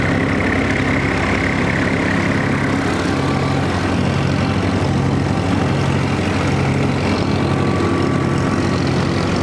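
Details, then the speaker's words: Mower engine after its fuel-draw problem was fixed (it previously ran poorly under load) and fluids were refilled: steady, even drone with no stumbling, surging or misfire; runs smooth and healthy. "sounds good right now so we're going to get this thing going and we're going to get to mowing some of the yard and hopefully she runs smooth"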